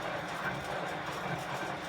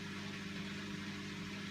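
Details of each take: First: Bosch Classixx 6 Varioperfect washer after motor commutator and brush work, quick wash test; steady even motor hum with water swishing, no scraping or knocking; drum turns normally, though it later stopped turning on rinse. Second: Bosch Classixx 6 Varioperfect washer on 15-minute quick wash test after motor commutator and brush checks: faint steady hum, no water or drum movement, drain pump running dry; drum not agitating, fault remains.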